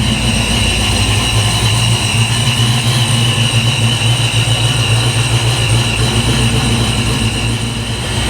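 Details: 347 V8 Foxbody Mustang, dead cold after high-volume oil pump swap: steady, even, smooth low rumble with no knocks, ticks or misses at around 530 idle, 35–40 psi oil pressure, warming up; normal cold idle.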